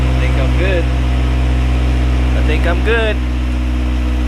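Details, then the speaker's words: Honda Civic wagon, B-series engine, with a found vacuum leak and check engine lights, started as if cold aiming for about 1700 rpm high idle: smooth, steady hum, even fast idle, no misses or surging. Normal high idle. "we're gonna pretend this is like the first time i'm starting it up i'm shooting for like 1700 at a high idle let's see if this works"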